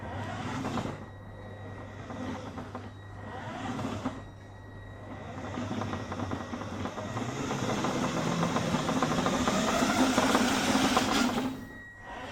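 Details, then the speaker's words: Blue RC Mini Cooper S, new ESC, 2S battery, body shell refitted: motor whine rising with speed and tapping about three per second following wheel speed; owner suspects a flat-spotted tyre amplified by bodywork, which suspension doesn't touch. "this tyre's got a bit of a flat on it which we noticed early on and i think simply with the body work on there it just amplifies the noise it makes"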